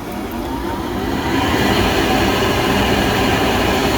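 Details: Pentair MasterTemp 400 pool heater after replacing a faulty igniter that had caused an ignition failure: steady, even burner roar builds and holds without popping or cutting out; it now lights and runs cleanly.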